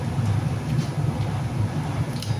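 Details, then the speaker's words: 2009 Mazda CX-9, front-wheel drive, driver's rear wheel bearing on a disassembled car; the customer heard noise at 40-50 mph. Steady low rumble with a dry, rough undertone and no play: the bearing is dried out and being replaced. "it's pretty dry should be pretty quiet um it's not loose by any means you can kind of see that there's like no play in it it's just dried out and making noise"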